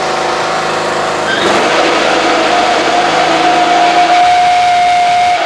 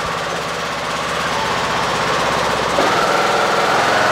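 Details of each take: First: Husqvarna riding mower (same as AYP Craftsman), blades engaged: loud steady whine over the engine from worn deck spindle bearings, ruined by running badly worn, out-of-balance blades; fix is replacing spindles. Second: Husqvarna riding mower with blades engaged after replacing deck spindles ruined by worn, unbalanced blades. An even engine drone rises smoothly as the blades come up to speed, with no grinding or rattle, so the deck sounds healthy.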